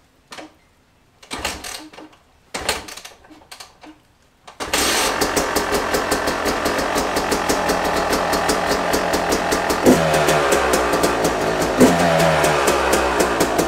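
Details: Brand-new dirt bike with under an hour of riding, started after replacing a failed spark plug (earlier thought flooded): a few dead cranks, then it fires into a quick, even popping beat with no misses or knocks; runs healthy.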